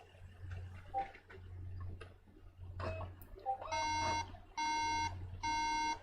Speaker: so three beeps is a memory issue or you know it's the symptom of a memory issue the Mac is saying is having difficulty accessing the RAM